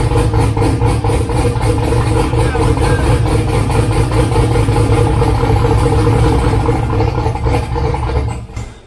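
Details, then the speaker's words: 2000 Camaro V8 with newly wired Holley Dominator EFI, just started: loud lumpy idle with an uneven lope; running rich, needs idle tuning and fuel map work. "plus it's running rich obviously it needs some idle tuning but it runs and it sounds mean"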